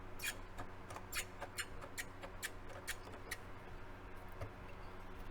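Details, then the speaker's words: Curtis Mathes AUP-8300E turntable with a faulty auto-return, heard with the bottom opened up. Sharp squeaky ticks about twice a second as the platter turns; the technician suspects a small white plastic piece inside is rubbing against some resistance. "there's a little plastic piece down here on the inside little white plastic piece that i think is making that rubbing sound but it feels like it's hitting some resistance but i don't see what it is hitting"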